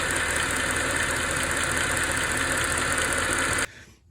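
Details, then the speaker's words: Mercedes AMG SUV with M156 engine, idling, front cover off, after new power steering reservoir, idler pulley, fluid flush and Lucas additive: steady piercing high-pitched whine, seemingly from the cam gear area or steering pump, barely heard when driving. "it generally sounds like it's coming, like I said, from the cam gear, which is kind of weird, kind of odd, and it's a weird kind of high-pitched noise, and you don't really hear it when you're driving around."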